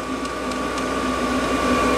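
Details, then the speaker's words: Vevor 5kW diesel heater on a Bluetti EB3A just after switch-off: fuel pump has stopped, steady fan hum with a fixed high whine blowing over the still-warm burn chamber; normal cooldown. "and you hear that the fuel pump stopped and the fan is still going blowing over the burn chamber"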